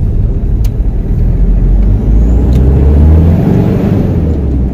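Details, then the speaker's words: Toyota 1KZ-TE turbo diesel with a bigger turbo, fan hub refilled with silicone oil to cure overheating, on a road test: deep steady engine roar under load with loud fan and intake rushing; fan hub working normally. "that now you can distinctly hear that fan noise it's got a pretty loud abduction on this thing since a bigger turbo has been put on"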